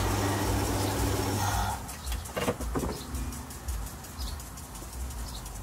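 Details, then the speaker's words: 2005 Hyundai Santa Fe with code P0335 (crankshaft position sensor), which stalls after running a few minutes, scope connected: it runs rough under two seconds, then the note sags and dies, leaving faint clunks. Stall after start; sensor fault suspected. "there we go we saw it died"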